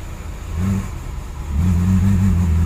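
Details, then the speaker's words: Cadillac DeVille 4.9L (1985 or 1991) that starts, runs briefly and dies, with many parts already replaced; at full throttle the note surges then flattens and never climbs. Owner suspects no fuel; finding: a restricted exhaust or clogged cat. "that sounds like it doesn't have any fuel guys that's to the floor"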